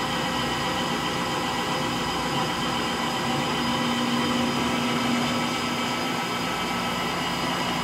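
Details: Frigidaire Gallery front-load washer GLTF1670AS1 on final spin: a steady droning roar with a grainy, coarse rumble and no let-up, from worn motor bearings.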